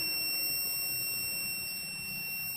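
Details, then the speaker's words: Arduino fire alarm with flame and gas (smoke) sensors: flame sensor triggered and the relay switches on, giving a continuous, unbroken high-pitched buzzer tone; the flame-triggered alarm works. "You can hear the buzzer is ringing."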